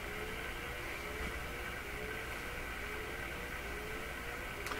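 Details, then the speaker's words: BK 3030 sweep generator feeding a radio's tuning capacitor, front-end antenna transformer bypassed, at fairly low input signal: steady hiss with a faint tone climbing in pitch and repeating about every second; unexpected rising tone, cause unclear. "Well, there's that rising tone again. Not quite what I expect."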